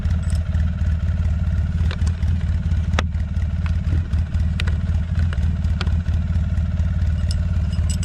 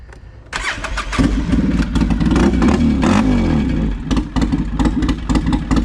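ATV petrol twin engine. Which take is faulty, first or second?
second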